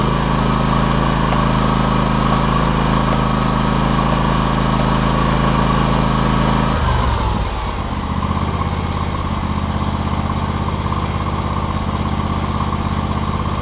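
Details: John Deere X300 lawn tractor after fixing no-spark, running and deck issues (parts listed: ECM, carburetor, deck belt, blades), spindles greased; engine holds an even, steady beat, settles smoothly as load comes on, no knocks or squeals; normal running.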